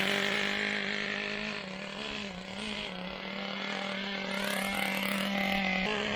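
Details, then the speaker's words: Traxxas T-Maxx 2.5 nitro RC engine with new Losi 3.4 carburetor, just started before warm-up: buzzy, uneven wavering note that never cleans up, lots of smoke; mixture far too rich. "crap ton of fields coming out of it right now it's really rich"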